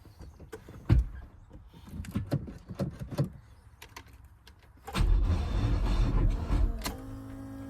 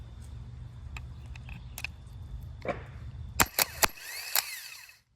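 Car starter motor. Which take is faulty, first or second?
first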